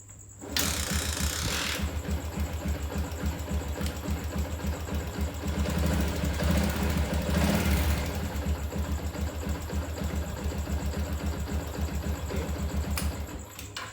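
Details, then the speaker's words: Yamaha Jupiter MX single-cylinder motorcycle idling after a repair: the pulser cable socket had not been fully plugged in, so no pulser signal reached the CDI. It now settles into a quick, even putter with no misses or knocks and runs cleanly. "Oke teman-teman ya, selanjutnya kita tinggal hidupkan engine-nya ya, untuk tes keberhasilan kita dalam mengidentifikasi penyakit motor ini ya. Coba kita on ya, kemudian kita hidupkan."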